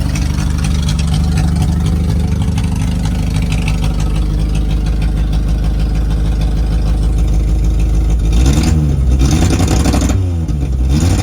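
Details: 1988 Suzuki Samurai tin top, parked since the late 1990s, straight-piped with no exhaust fitted: loud raw low rumble at a steady fast idle with a couple of throttle blips. Runs smoothly.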